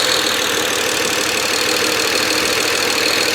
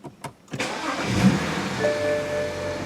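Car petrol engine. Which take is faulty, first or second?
first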